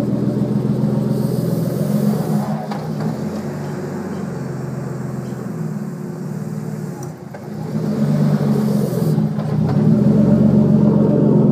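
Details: Nissan R32 Skyline driving slowly, taking off and cruising in 2nd/3rd gear: light repeating click from under the rear, no HICAS lock bar or aftermarket diff; owner suspects HICAS or differential, cause unknown.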